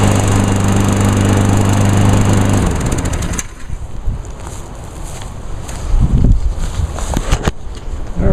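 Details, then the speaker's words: 2010 Craftsman ez2walk self-propelled mower, pull-started because its electric start fails despite a charged battery and swapped fuses (suspected electrical problem). Small single-cylinder engine catches on the pull, runs evenly for a few seconds, then settles quieter; healthy running. "Cool. Actually started not too bad with just pulling on it."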